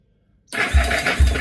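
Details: Yamaha SR250 SE motorcycle starter test after reconnecting the electrics during restoration: quick whir as the starter engages, then two strong, even compression thumps about half a second apart; normal cranking.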